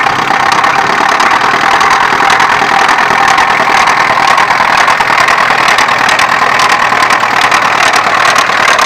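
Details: Opel X20XEV engine at idle: fast, even tapping knock over the engine note; source not yet pinned down.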